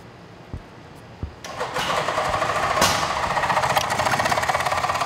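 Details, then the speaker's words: 1974 Suzuki GT750 on a jump pack, after carb cleaner and Seafoam in the carburetor and Marvel Mystery Oil in the cylinders: starter cranks steadily at about 3.5 pulses/s with occasional sharp pops, never catches; cause not confirmed. "You can hear it popping a little bit. We sprayed a little bit of carb cleaner into the carburetor and a little seafoam."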